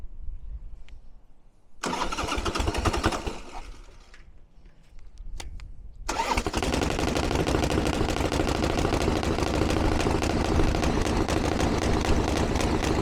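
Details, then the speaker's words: 1982 Harley Ironhead Sportster, first start after running-issue work, fuel on and choke: short cranking bursts, then catches and settles into steady even idle; far better than ever, though still seems lean under acceleration. "I can't believe that that's fantastic that's a lot better than it's ever been probably still needs a little bit of darling and it feels a little bit lean under acceleration"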